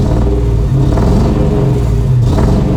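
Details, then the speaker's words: Car idling, then revved: low, uneven, lumpy rumble with vibration, lack of power and dropped fuel economy; a rough idle and misfire from bad spark plugs and wires. "now i want you to listen to my car this is a good example of bad spark plugs and wires you could hear it's not idling right"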